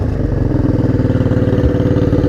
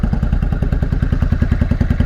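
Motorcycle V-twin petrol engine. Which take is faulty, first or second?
second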